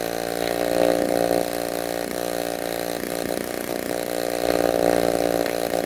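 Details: Restored 1946 Power Machinery chainsaw (Vancouver, BC) running after restoration; steady, crisp two-stroke buzz at even pitch with small rises on the throttle: running healthy.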